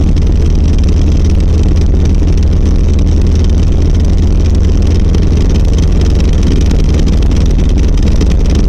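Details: 1990 Volvo 740 while driving: steady low drone and rumble with constant rattling vibration underneath, worsening over six months. Found to be worn center driveshaft support and/or bearing.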